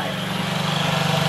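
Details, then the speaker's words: 2017 Honda Ruckus NPS50 50cc four-stroke scooter, just started, tachometer reading 1980 rpm: small fast, steady buzzing idle, far too high; idle screw adjustment needed. "1980 RPMs this is my idle speed it's obviously way too high"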